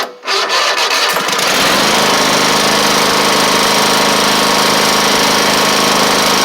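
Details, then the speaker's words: Toro Z2550 zero-turn with a Kohler twin. The starter drags slowly over the usual compression hump for about a second, then the engine catches and settles into a steady, even run: normal cranking and start. "now these colar twins are always bad about having a hump that you have to get over when you originally crank them so let's see"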